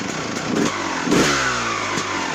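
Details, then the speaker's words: 2001 Honda CR250 two-stroke dirtbike after the high-idle fault was fixed and the bike rebuilt: it revs cleanly through the gears with crisp, even throttle response and now runs perfectly. "this is my CR250 model year 2001. it runs perfect again so off to the racetrack"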